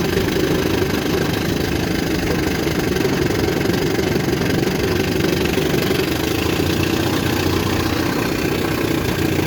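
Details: 1960 Scott-McCulloch 12hp outboard with a 14.1hp McCulloch powerhead, 24:1 fuel, restarted and idling in reverse (no reverse latch hardware): steady, even burble with constant low drone, no misses or surging; normal idle once adjusted.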